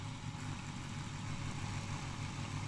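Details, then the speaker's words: Fan from a 1960 Branson Sonifier LS75 power supply, rated 105-125 V, 16 W, run at 120 V: steady low hum with a rough, gritty rumble from completely worn bearings. "bearings are completely did so that we can't use"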